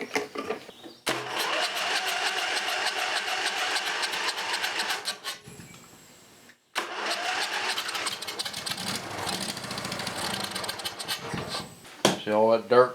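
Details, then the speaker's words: Briggs & Stratton 20HP V-Twin Model 40, gas poured into carburetor before carb cleaning: starter cranks, engine catches in a few rough uneven bursts then stops; it fires when primed. "over just to see if I can get it to hit a little bit that's usually a good good idea to check it just to make sure that it will run before you go tearing everything apart"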